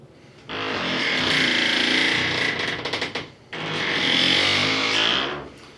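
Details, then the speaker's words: Glass shower door swinging gives two long, loud creaking squeaks from a dry single full-length hinge, before lubrication with AIM penetrating lubricant. "Imagine getting up super early in the morning to shower to go to work, and your shower door makes this sound, and your wife's sleeping right on the other side of the wall."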